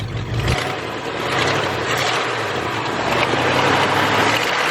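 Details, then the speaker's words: Ford F100, three-on-the-tree, revived after sitting 30 years in a field: rough idle with uneven ticking clack about twice a second under exhaust rumble; exhaust manifolds clacking, leaking at idle, otherwise sounds pretty good. "oh man overall she sounds pretty good other than the manifolds clacking"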